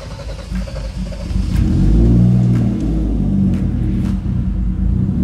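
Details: Mercedes W203 with a turbo M104 engine, first start after its dirty injectors were cleaned (fuel pressure good): it fires promptly, swells briefly, then settles into a steady, smooth low idle with no misses; the injectors had been the fault.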